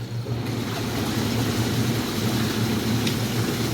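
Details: Two-speed hot tub circulation pump on high speed after a pump replacement, following impeller damage that left plastic pieces in the tub (motor was OK). Even low hum with steady water rush, no knocking or grinding; it runs normally.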